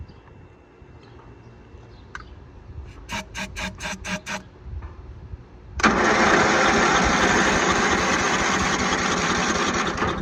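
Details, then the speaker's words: Free Craftsman riding mower cranked via jump starter with ether sprayed in: spins freely, has compression, few weak pops but never catches; spark test showed no spark. "We got compression. I hear it popping. The carb may or may not be working, but with the ether in there, it should be popping off. I heard a little bit, not enough to satisfy me."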